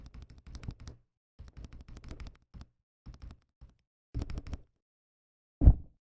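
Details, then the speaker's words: Akko ACR Pro 68 keyboard after installing stabilizers: bursts of deep muted keystrokes and heavier spacebar thumps with no tinny wire rattle; stabilizers sound smooth and healthy. "That sounds actually really good, I'm not gonna lie."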